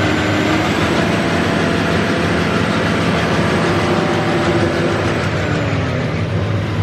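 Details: Massey Ferguson 40 diesel combine, about 1996, sat 3 years, revived after fuel system bleeding: steady even clatter at constant speed with no knocks or misses, running on its tank, slightly smoky; normal running.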